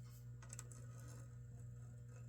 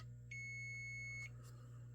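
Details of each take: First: Golden Tee Fore arcade board (no boot, resets, solid status light) on bench; short sharp high multimeter beeps over steady mains hum, each confirming continuity on chip legs probed in turn, checking for a bad leg: continuity beep. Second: Golden Tee Fore arcade board (no boot, solid status light); checking chip legs for continuity, the suspect bad-leg pin now beeps though silent a moment before: one steady high beep about a second over low mains hum: continuity beep on suspect pin.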